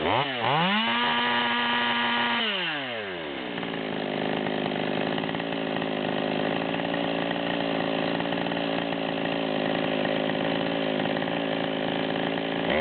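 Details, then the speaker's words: Stihl MS200T chainsaw, torque build, tuning with the high-speed screw at the 138 setting; screams near top speed but burbles and stutters; rich four-stroking at wide open throttle. "so you can hear this thing's blubbering really bad at the 138 number we'll make a cut or two then we'll get it tightened up and check it out"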